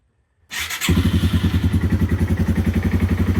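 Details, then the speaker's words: 2010 Yamaha TW200 single-cylinder, 4,500 miles, first start on a little choke in neutral after fresh oil and a new X-Ring chain with new sprockets: silence, then it catches and settles into an even, steady thump of about 3.5 beats per second, running cleanly. "It runs."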